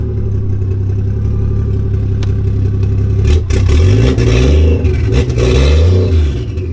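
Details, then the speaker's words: Lexus IS300 just finished with a 1JZ-GTE engine swap, first start in a while. Deep, smooth idle, then several clean revs rising and falling freely without misses or knocks. Normal start and revs. "So let me start her up so we can hear how she sounds. Let's give her a few revs."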